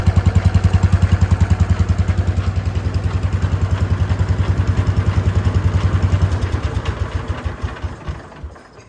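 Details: Wheel Horse C-120 single-cylinder engine running: even, steady thump of about three beats a second, no misses or rattles, then it winds down; normal running.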